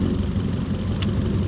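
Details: Hyundai Accent after the faulty ignition coil, confirmed by swapping, was replaced; previously stalled and ran after spark plug cleaning; even low thrum with regular beat, no skipped pulses; normal idle.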